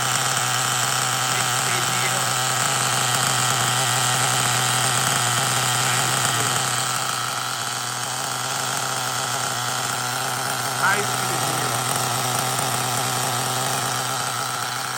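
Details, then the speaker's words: LRP 32x Spec 4.1 nitro engine on its first idle-tank break-in pack in a cold garage: factory needle settings, engine pre-warmed to about 200°F (block ~175°F, glow plug ~253°F), exhaust piped through a long hose. Soft, burbly high buzz at idle; the pipe restriction makes it run rich and it needs leaning. "the pipe has a little bit of restriction in it so it will make you run rich so you want to lean it out a little bit"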